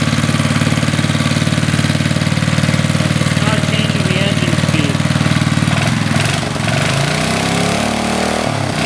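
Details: 40-year-old Briggs and Stratton single-cylinder on a garden tiller, cold, after a carburetor rebuild and started without starting fluid to test the fuel pump: it catches and settles into an even putter around idle, a little rough at first but running cleanly; started within about four pulls.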